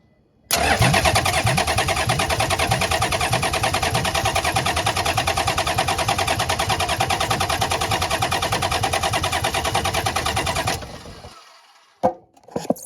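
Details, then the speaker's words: Toyota 1HZ diesel in a 75 Series LandCruiser, parked 12 years, fitted but never fired since a reco job; full of oil, cranked via a wire to the starter solenoid with a gauge fitted: steady even cranking about three beats a second, normal, no start yet, oil pressure then shown. "it's full of oil i'll put new oil in it so let's crank it over and see what happens"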